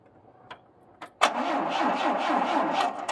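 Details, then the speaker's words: 1980 Triumph TR7, 2.0 slant-four, sitting since 2016, first crank with no fuel supplied: faint clicks then starter spins engine unevenly about two seconds without catching; engine turns over, not seized. "yeah but it turns over though so it ain't locked up cool"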